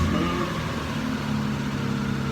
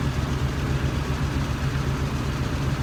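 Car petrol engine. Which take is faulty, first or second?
second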